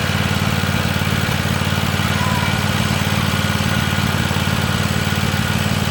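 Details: Free Weed Eater garden tractor, Tecumseh TVT691 two-cylinder, just refreshed with fresh oil, new oil filter and oiled cylinders, first run on gas and warming up: even, steady chugging with regular low thumps, no misses or knocks; normal idle.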